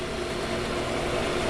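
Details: Accu-Turn 8922 combination brake lathe, apparently unused, from a municipal garage, running on the disc brake portion: steady even low hum with no clicks, knocks or grinding; everything tight, nice quiet machine.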